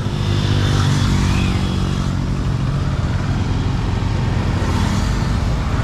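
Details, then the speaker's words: Honda Supremo 150 on highway test drive after fitting new chain and stock-size 15/43 sprockets, previously very noisy: steady engine drone at cruising speed under road and wind rush, no chain slapping, clicking or grinding; chain drive now quiet. "Dahil tamang tama ay papasok na tayo ng National Highway para masubukan natin kung tahimik na nga ba talaga yung alaga natin mga idol, no?"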